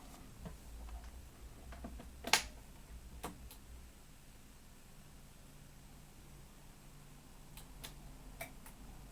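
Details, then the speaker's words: 1990s Marantz PM-50 amplifier after replacing the faulty STK 3062 MK IV with an STK 3082 MK III and the power amp transistors, speakers connected, switched on: one crisp click over a quiet room, then faint ticks; speaker protection relay engages normally. "oh there was a relay I heard that yeah the relays just click just fine I think"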